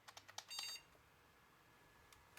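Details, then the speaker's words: Thrift-find junk AMD PC with original Antec power supply, first power-up: whine, green standby LED, three sharp speaker clicks and a brief high chirp, then quiet; board powers up and posts normally. "I hear a whining noise and I have green standby LED heard three clicks from the speaker"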